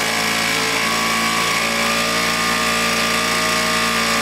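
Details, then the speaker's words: Vintage Flymo hover mower after reassembly, carburetor believed out of adjustment, kill wire not working: buzzy two-stroke drone at a low, fairly steady speed, no clear miss; low speed, rough running, cause unconfirmed. "well kill wire don't work well we got it running i'm going to boost up the rpm a little bit and i'm going to fix that kill switch"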